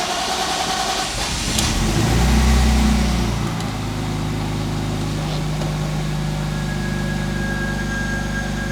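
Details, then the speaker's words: BMW E46 coupe with M54B22 engine just after fixing a fuel delivery fault (owner suspected low fuel pressure/fuel filter) and priming the system: cranks, catches with a rev flare, then idles with a slight stumble; runs better but still misfires. "it immediately runs better but it still has misfires but that was definitely a big issue with the car"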